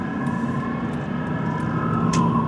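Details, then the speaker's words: GMT800 truck driving on road: steady thin high-pitched squeal like a cat screaming over engine and road noise, source unknown, no dash warning lights. "There's a weird noise. I hope you guys could hear that. It sounds like a Sounds like a cat screaming or something."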